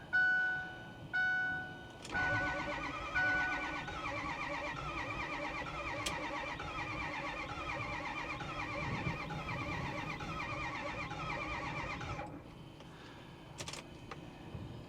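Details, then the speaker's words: 2010 Ford F350 with a 6.4 Powerstroke, 98,000 miles, sitting, with earlier white smoke and an empty coolant bottle. On a charged battery it gives about ten seconds of even cranking and never fires; fuel pressure is fine and no codes are set. Cracked heads suspected. "Yeah, it looks like we have plenty of pressure, so it's not a fuel pressure issue. No error. Fuel level, we have fuel. So unfortunately, I can't get the F350 to start."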